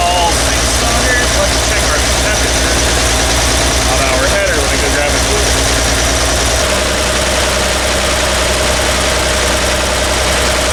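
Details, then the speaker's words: Toyota Land Cruiser, electric fuel pump, started cold: idle thumps unevenly with irregular low beat; cylinder 3 misfire, its exhaust tube stays cold; possible low compression, valve, carbon, spark plug or ignition, still to be tested. "so we have a misfire in cylinder number three so it could be a low compression issue a valve issue carbon spark plug ignition any one of those items"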